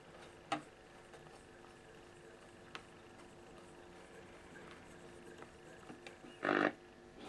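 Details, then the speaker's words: Unrestored 1950s valve radio at its first switch-on in decades: a faint steady buzz with clicks and crackles and no station coming through. It won't tune on any frequency; the owner suspects heat is changing component values. "There you go. It's drifted off. It's gone now over there. So I think with the heat uh some of the components are changing and causing it was a me causing it to not be able"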